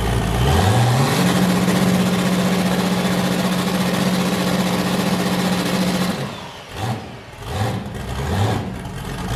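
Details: Boosted V8 with a new cam, just started after a repair; it had earlier made 23 psi and blown a coupler, and the owner feared damage. Revs settle into a steady, hard-chopping idle with an even lope on all eight: a normal lumpy cam idle.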